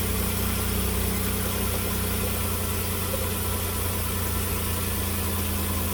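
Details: 2008 Dodge Caravan 3.8 L after a broken coolant hose connector was replaced and refilled, run with the heat on: steady, even idle with a smooth low drone, no misses or knocks and no white smoke; normal.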